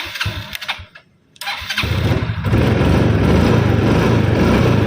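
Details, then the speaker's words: Matic scooter after refitting the main fuse, key on, horn working: electric starter whirs briefly, then engine catches and settles into a steady, even idle; clean normal start once the main fuse circuit is restored. "Coba kita kunci kontak on Coba kita kakson udah bisa karena si kingnya udah nyambung kita starter udah"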